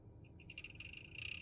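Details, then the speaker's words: Cooler Master RGB case fan under a year old in a PC: high buzzy chirp stuttering in and out, then steady rasp over low hum; intermittent rattle, owner suspects dust in or failing bearing. "I just discovered I'm having an issue do you hear it it's rattling is it dust in the bearing is the bearing going out"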